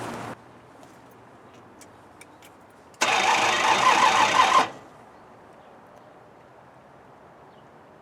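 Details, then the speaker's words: Jeep J20 3/4-ton pickup, carbureted 5.9 L AMC V8, throttle pumped by hand: under two seconds of cranking at about three turns a second without catching; no fuel found in the lines, tank possibly plugged; crank no start, fuel starvation. "it doesn't sound good at all probably need a throttle open while I'm doing this"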